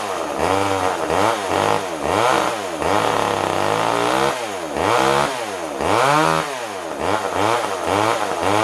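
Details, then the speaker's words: Older Poulan Wood Shark chainsaw hunting about once a second, never holding idle; backing the carb jet out further changes nothing, only runs by choke siphoning fuel, owner concludes it needs a carb kit. "a yeah backing the jet out further just does [Applause] nothing [Applause] yep guys it pretty B on this one we need to get a carb kit for it"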